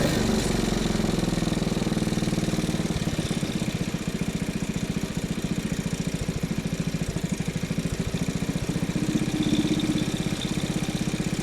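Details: Salvaged old go-kart small single-cylinder engine on cleaned original carb, air filter suspected: steady, even putter with no misses or surging at idle; idles great but struggles on throttle; normal running.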